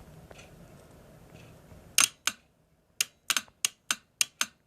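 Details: Mercedes E320 throttle body bench test, good reference unit in a quiet room: about eight sharp crisp clicks over three seconds as the clutch coil engages cleanly, while both tested throttle bodies have dead clutch coils.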